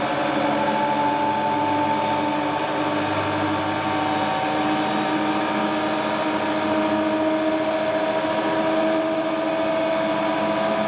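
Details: Hotpoint Ultima WT960 washing machine (7kg) test spin after repair with a brand new replacement drive belt; smooth steady motor whine climbing gently in pitch, no slapping, squeal or rumble; drum spins up cleanly, normal spin cycle.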